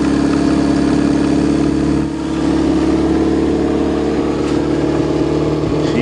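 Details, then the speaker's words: Chevrolet just after a freezing start on the coldest day of the year, battery charge uncertain. It settles into an even, steady drone with no knocks or stumbles, smoking afterward; a normal cold-start idle. "wow what a car you can depend on your Chevrolet that's for sure"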